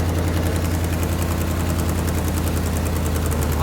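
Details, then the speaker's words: 1977 Jeep CJ-7 with freshly rebuilt AMC 304 V8 and Holley carb at first start and break-in; fast, even burbling idle, idling high, so the curb idle screw is to be backed off toward roughly 600-700 rpm. "It sounded like it was idling high, so we're probably going to back that off a little bit."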